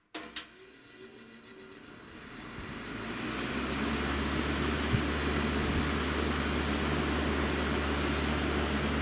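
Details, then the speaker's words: Vintage Breezemaker box fan with push-button switch, not working on low, for parts. Motor hum builds as it spins up, with a wobble of about three beats a second. Blades badly out of balance, may touch the housing; motor otherwise fine. "Aside from being super out of balance, the motor doesn't sound terrible, which I figure we could use this for parts."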